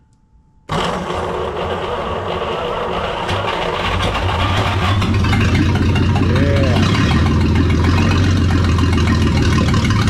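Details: 1938 Dodge six, sitting 40 years, started on 6 volts after firing order and timing corrected: fires straight up and settles into a steady, even low rumble that gradually smooths out; healthy normal idle.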